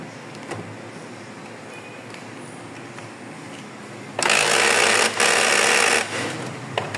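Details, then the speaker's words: Epson 3250 printer: quiet ticking at power-on, then loud rough crackling clatter when trying to copy or print; broken rubber roller piece tangled and jammed the drive gear against the one above. "fazendo esse barulho. Tirou aqui os cabos. Geralmente esse barulho aí, ó, a maioria das vezes é causado por isso aqui, ó. A a borrachazinha ali tá quebrada."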